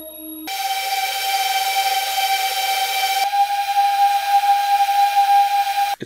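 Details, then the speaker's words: Mobula 6 whoop with 25,000 kV 0802 motors, relatively new and never lubricated, on foam at multiple speeds: a clean, steady whine stepping in pitch as speed changes, with no grit or rasp; normal, healthy brushless motors. "this drone is relatively new I've only flown it a few times because of the limited range of the receiver in this one but that means these motors are in good condition"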